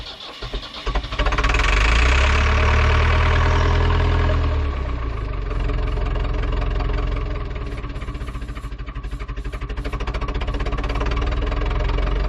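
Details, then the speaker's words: Ford 2701E 4-cylinder 240 ci IEL diesel on a grapple log loader, sitting since 2005/2006 with 15-year-old fuel: starter churns steadily but it never catches, air in the fuel system; fuel reached injector 4 and bleeding continues. "all right after uh cranking and yeah we have a fuel showed up at the injector number four which is good and we just need to keep uh bleeding air and it should fire it up"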